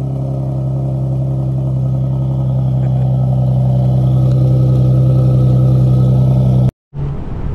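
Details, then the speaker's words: Nissan Maxima with a swapped 75,000-mile engine and transmission, OBX headers and a new Vibrant Performance muffler, held at high rpm. A steady, deep, even drone with no rasp, rattle or blowing; much quieter than the old muffler. "also on a high rpm it doesn't have really really loud which is pretty good so it sounds much quieter"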